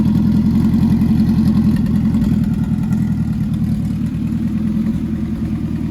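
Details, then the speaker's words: Nissan MR16 engine swap (10k rpm build) on first runs after install, idling with good oil pressure and no leaks; steady, even burble with smooth low pulse, no knocks or ticks; running great, normal running. "all right so it's running great"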